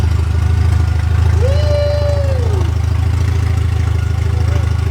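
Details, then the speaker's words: Mercedes 190E with a swapped M111 supercharged engine on its first start after the swap, with no exhaust fitted: harsh, raspy idle with hard, fast exhaust pulses over a deep drone. "Obviously it sounds terrible because you've not got an exhaust on."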